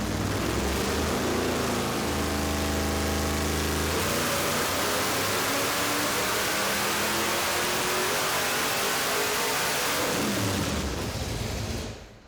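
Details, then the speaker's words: Supercharged 426-based Hemi V8 in a '55 Chevy on a hub dyno, second pull to 7,000 rpm making 972 hp at the axle and 862 lb-ft: loud roar climbing smoothly to high revs, even and clean; healthy full-throttle pull. "it sounds really happy it does on the second poll we ran it all the way to 7,000 RPM it made 972 horsepower at the axle and 862 pound feet of torque"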